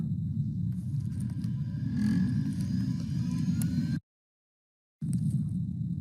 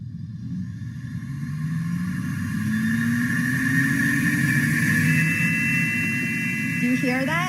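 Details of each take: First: Lab microcentrifuge with the plastic rotor lid and top lid closed, spinning at 13.2k for one minute with balanced tubes. A smooth, steady low hum with no wobble, knocking or rubbing: normal spin. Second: Lab microcentrifuge spun with the plastic rotor lid left off. A loud, high whine climbs in pitch as the rotor spins up. The rotor lid is missing; stop the centrifuge at once and fit the lid.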